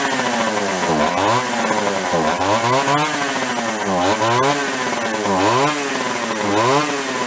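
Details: Free Echo CS-400 chainsaw from a free pile, no low-speed carburettor circuit, air cleaner refitted: revs up and drops back roughly once a second, climbing cleanly to full speed and settling each time.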